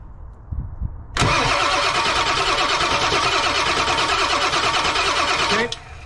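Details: Ford OBS 7.3 Powerstroke with code P1211, cranked five seconds during a high-pressure oil pump test with one pump side blocked and 12 V on the IPR: steady, even, fast cranking with no knocks or squeals; reached about 3500 psi.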